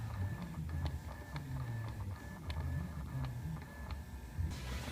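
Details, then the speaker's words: 2007 VW B6 Climatronic: sharp light clicks every half second in a quiet cabin, no engine, heard while driving; broken climate flap actuator motor behind dash corner can't reach position. Disconnecting its wire stopped the noise, no fault codes; fix is replacement. "d there's this flat engine that's trying to get the right position but it can't so that's what is causing that noise"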